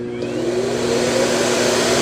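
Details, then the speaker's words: iRobot Roomba Plus 505 Combo AutoWash dock running its cycle: steady loud rushing whoosh with constant fan hum, before washing mop pads and drying; kind of loud but normal. "It is kind of loud, but not not super loud. It's going to wash the mop pads and then we're going to turn it's going to turn the dryer on the end."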